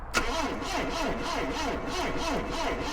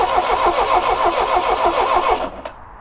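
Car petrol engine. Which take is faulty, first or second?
first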